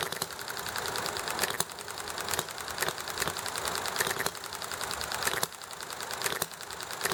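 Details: Enjomor model engine running nicely: sharp firing pops every second or so with quiet coasting runs between, amid highway noise, alley traffic and chatting; normal hit-and-miss running.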